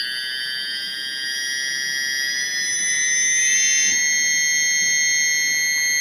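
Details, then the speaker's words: JINGWEI 4T drone power motor on a motor test tool, throttled from low to full: a clean high-pitched whine steps up in pitch, steady with no clicking; the motor spins smoothly and is normal. "OK, it's normal. A functional power motor whether the current is high, high or low, high or low speed, it will rotate very smoothly."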